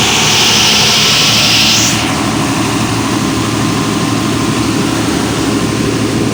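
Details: Volvo Penta 275 kVA canopy diesel genset, off-load test auto-started from standby after a 5-second relay delay, battery charger at 28 V: loud steady drone with a hissing rush fading after two seconds, then an even unloaded run without knocks; normal.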